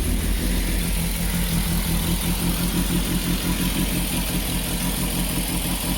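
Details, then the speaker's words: Peugeot 205 GTI that wouldn't start cold, after fixing a fault, idle-control relearn, cold start just over a minute in: steady raised idle just under 1500 rpm, no hunting; idle control working properly. "it needs a little bit of a blip to finalize it but that was just over a minute and it's starting to idle correctly so that was a cold start"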